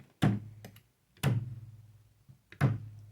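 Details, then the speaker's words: Ortur LM3 laser engraver gantry belt plucked three times: each gives a clear low twang ringing like a guitar string, showing correct tension; a belt that is too loose would skip on the gear and grind. "you're out kind of sounds like a guitar string if it's too loose it'll skip on this gear here you'll hear a grinding sound and I I honestly don't think you can over tighten them"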